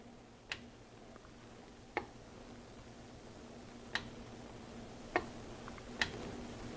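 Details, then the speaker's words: GMC Yukon with code P0446, under the truck at the EVAP vent solenoid commanded on and off by scan tool: five sharp separate clicks over a quiet low hum, the solenoid clicking as commanded. "so when I turn it on there's a clicking sound I I hope you can hear that and our PID is changing now it's venting now it's not venting venting"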